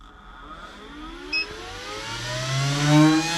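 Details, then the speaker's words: ToAuto PCP 4500 psi portable compressor filling a 0.5 L snorkel tank on a fully charged 12 V Optima red top battery, after it threw an E2 code on a jump pack. It spins up with rising whir into a steady hum. Running normally, strongly. "yeah, that's much better. I think my jump pack is just shot."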